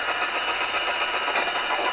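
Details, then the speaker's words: Roberts RT22 radio being restored, switched to longwave indoors; steady hiss and buzz with a constant mid-high tone and no signal, heavy local electrical interference swamping longwave reception. "Turn that down a bit. Noisy old thing. So much interference in here on longwave."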